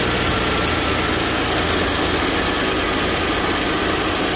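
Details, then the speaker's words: First-gen Ford Edge after replacing electric cooling fan assembly (was overheating when parked, A/C warm at idle): strong even rush of air over a quiet idle, no rattle or scrape; cooling fans working normally. "they stop they hold for you can hear them now see them hear the fans going yeah that's the fans okay they're slowing down"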